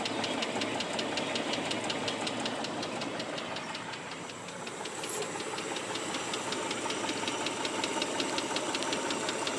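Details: Mitsubishi 3000GT idling with a steady, sharp, fast regular ticking after under 60 miles of driving; owner hopes it is lifter tick but fears rod knock, cause unconfirmed.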